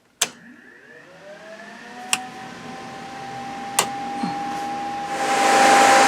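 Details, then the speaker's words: Truck's used electric radiator cooling fans, wired to a switch by the driver's head, being switched on: a few clicks, then motor hum rises to a steady tone and smooth airy rush; fans running normally. "set of used cooling fans for the radiator and i have all these on a switch right up there by the driver's head let's uh go take a look at that fire these things up let you hear them"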